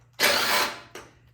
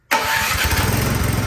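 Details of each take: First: Troy-Bilt Storm 2410 snow blower, full choke, primed, push-button start: engine catches with a loud burst for half a second then fades with a weak cough; carburetor gummed, fixed by cleaning the carburetor. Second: Troy-Bilt Storm 2410 snowblower that would not start, owner suspecting a carburetor clogged by old gas; started with the electric start, choke on, unprimed. It catches right away and holds a steady, even idle chug with no sputter or stalling.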